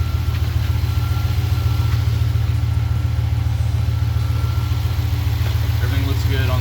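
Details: 2013-2023 RAM 1500 after installing a Jet Performance Stage 1 Dynamic Spectrum tuning module on the ECU: even, steady low idle with a smooth uniform pulse, no knocks, misses or squeals, no warning lights; healthy.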